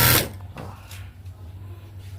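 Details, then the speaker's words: Juki industrial sewing machine after upgrading from a clutch motor to a servo motor, switched on but idle: after brief handling noise, only a low, steady soft hum with no clatter; quiet and smooth running. Normal quiet running. "Yan ang isang kagandahan na ng nakaservo. Tahimik siya. Ayan, open na yan. Ha? Kailaw, pero walang ingay. Smooth manakbo guys."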